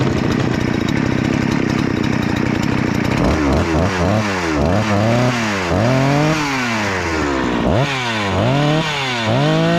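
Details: Rebuilt Husqvarna 288XP chainsaw (new cylinder, piston, swapped crankcase), high-speed screw adjustment having no effect: screams high, revs surging and sagging in waves, running dangerously lean, risking cylinder scoring.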